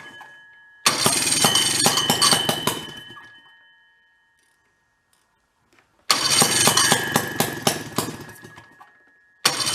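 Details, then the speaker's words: Old Rockwell two-stroke snowmobile engine salvaged from a barn, on a stand, with carburetor parts just cleaned, adjusting air-fuel mix screws at idle. Two short harsh bursts that fade instead of settling. Rough idle, seems to be getting too much fuel. "sounds like it's getting a little too much fuel"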